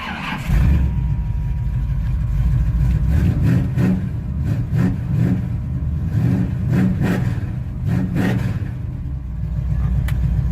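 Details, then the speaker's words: 1985 Chevy C10 with a Vortec 350 and Lunati cam, running hot after replacing failed NGK TR55 spark plugs with Autolites: deep, steady V8 rumble with even revs and no stumble through blips; now runs smoothly, normal running. "smoothly now believe that was the problem"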